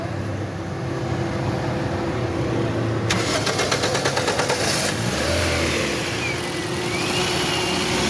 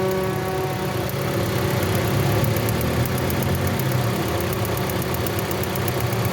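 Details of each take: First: 2017 Toyota Corolla after the faulty fuse and ignition coil were replaced, now running steady and even with no stumble or missed beats between light blips; the misfire is fixed and it fires cleanly. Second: 2017 Toyota Corolla that broke down on the road: idle stumbles unevenly with about three irregular beats a second and engine vibration; misfire traced to a shorting ignition coil, which was replaced.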